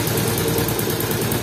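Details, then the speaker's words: Yamaha Jupiter MX in for engine overhaul: steady single-cylinder idle with loose, uneven knocking from a wobbling clutch shaft and unstable inner clutch housing; worn cam chain and tappet noise also noted. "soalnya enggak apa sih rumah inner koplingnya enggak stabil enggak diam gitu guys"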